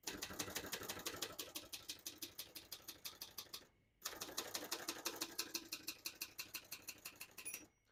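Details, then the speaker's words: 1970 Hermes 3000 portable typewriter, right margin set at edge: crisp even keystrikes about three a second, short pause, more typing; mechanism working normally. "But I do want it on the edge for maximum clearance. So that's good."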